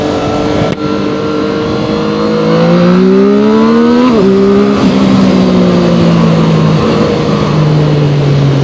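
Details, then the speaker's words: Zontes 703RR inline-three motorcycle at about 9,500 km, accelerating at higher speed. Smooth three-cylinder note climbing cleanly with crisp gear changes; the buzzing heard at slow speed in second gear is absent; normal. "Upon the acceleration, when you go a little faster, you don't hear the buzzing. You just hear this beautiful inland 3 engine sound."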